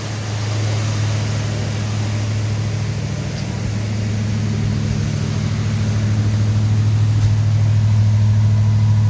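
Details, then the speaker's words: Rebuilt Ford 302 Windsor V8 during camshaft break-in, about 10 minutes in, held at 1500-3000 rpm, new exhaust, water temp and oil pressure good. Even, deep burble at a raised idle with no misses; timing still needs adjusting. Normal fast idle. "I've been kind of turning the idle up and down a little bit to get that 1500 to 3000 RPM range to break in that cam."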